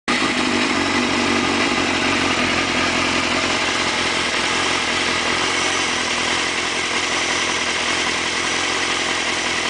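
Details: Suzuki GSX-R motorcycle idling steadily with a busy, bright mechanical clatter and rattle over a thin engine note; the idle noise sounds abnormal.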